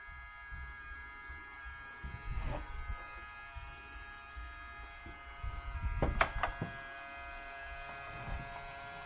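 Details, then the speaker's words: Sony PlayStation 1 with disc inserted tries to read then stops, drive making a loud steady high-pitched buzzing squeal with handling thumps; powers on and shows display but won't read discs; broken sled gear. "if I put a disc in and power it on it starts trying to read the disk but then it just stops and the console starts making a very loud squealing sound"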